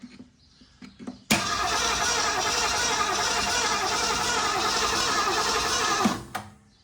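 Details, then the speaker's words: 1963 Ford Fairlane 500, 4-door, 41,000 miles, a long-stored barn find: starter spins the engine evenly for nearly five seconds without catching; the ignition points are filed next, cause suspected, not confirmed. "All right. We do have the engine turning over, so that's a good thing."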